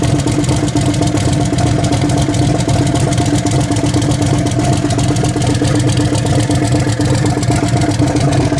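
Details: Turbo Nova V8 after swap to a bigger cam, running with old fouled plugs: choppy, loping idle with uneven big-cam beat, no knocks or clatter; engine sounds healthy.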